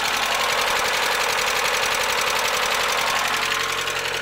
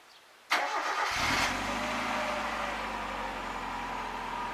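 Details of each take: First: Mazda Miata idling before Seafoam treatment: fast, light ticking at three or four a second, evenly spaced over the idle. The lifter tick returned after being fixed before. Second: Mazda Miata, first start after Seafoam and an oil change: starts cleanly and settles to a smooth, quiet idle with no lifter tick.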